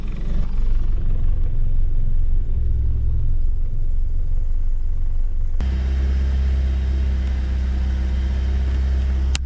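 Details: BMW E36 Compact M43 idling cold while warming up, after a new idle control valve was fitted with a rubber gasket in place of the paper one. Deep, uneven, lumpy rumble that nearly dies: a rough idle.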